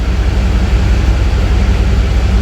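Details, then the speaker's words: 2001 Chevrolet Tahoe Z71 with 5.3 V8, coils already replaced by the customer: rough, stumbling low thumping at a steady run with a flashing check-engine light for a severe misfire. "se le siente la falla la luz de servicio vamos a acelerar un poquito a ver le siente una falla"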